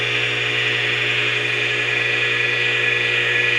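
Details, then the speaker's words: Old air compressor being reconditioned, temporarily wired test run: steady, even drone with constant high whine, governor audible working, no knocks or rattles; running healthy. "things to work you can hear the governor working too"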